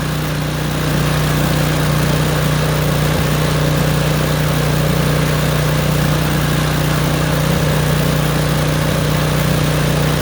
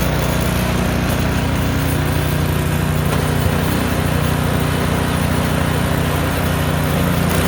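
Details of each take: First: Craftsman snowblower small engine at fast idle after start-up, running rough with uneven pops on partial choke; one more choke click toward run stops the popping. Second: Craftsman snowblower, roughly 3–4 years old, running while driven forward and back through speeds 1–6 and auger on and off: loud, even single-cylinder drone holding steady with no misses or knocks; healthy engine.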